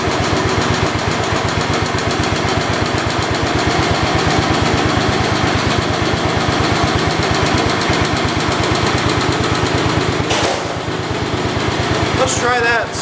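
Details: 1972 Homelite T10 tractor engine with choke fully off: fast steady chugging with some unevenness, running a little better than choked but still short of power; rough running, loss of power, cause suspected, not confirmed.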